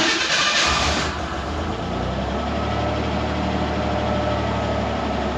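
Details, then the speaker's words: Ford Bronco II just after a new ignition coil and coil-to-distributor wire, before plugs and plug wires: engine catches, then idle sags low and lumpy, nearly dies but recovers; slightly better than before, when it fully stalled. "okay now we getp back down I mean it is did run a little bit earlier that actually seems a little better but it kind of is hit and miss oh she now it's going to go down and die it caught itself so I would say it's a little bit better cuz before I would fully die right there"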